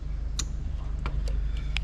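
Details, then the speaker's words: New Lexus LS430 2000-2003 3UZ-FE VVT-i engine harness (left-hand drive, manual) getting 12 volts on the ignition feed: sharp scattered relay clicks over a low hum as everything powers up. The relay clicks are normal. "All right, so as I do that, you can hear the relays all clicking as everything's coming alive."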